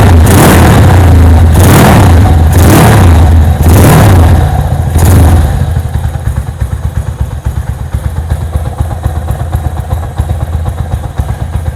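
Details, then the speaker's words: Sport motorcycle, four-stroke, just after valve clearance adjustment (sport spec 0.10 ± 0.02 mm): crisp throttle blips drop back to an even idle of about four beats a second with no ticking. Healthy after repair. "nah tuh sudah beres ya motor sudah bisa hidup kembali berarti kita sudah beres atau berarti kita sudah selesai menyelesaikan penyetelan katup"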